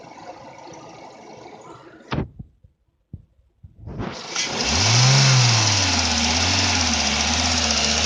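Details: Renault Megane 2 engine starts, revs briefly and settles to idle with a faint rapping under the running note; engine knock present, cause not identified.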